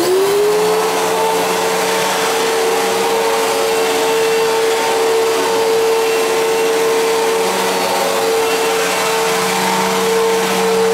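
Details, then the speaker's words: 1999 Fantom Fury vacuum cleaner: at switch-on a tone rises quickly, then settles into a steady hum with an uneven rough edge, described as a grinding-like sound; also sounds wrong winding down, cause unknown. "it really doesn't sound right when you first turn it on uh oops it doesn't sound right turning off either"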